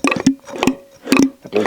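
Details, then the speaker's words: Citroën BX hydraulic suspension/brake pump, new replacement unit, microphone close: soft regular suction ticks about twice a second, with no bearing rumble, unlike the old pump with its bad bearing. "The new one. Same pump suction noise, of course, but no bearing noise."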